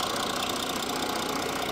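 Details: Audi diesel, warmed up, recorded close to the engine: dull clatter under the steady drone with one heavier knock near the end; earlier suspicion of engine replacement, torque converter or gearbox shaft suspected, source unknown.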